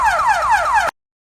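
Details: Cardot aftermarket car alarm with push-button start/stop, smart key, keyless entry and immobilizer: a loud siren gives four quick falling sweeps in under a second as the alarm trips when start is pressed without the smart key.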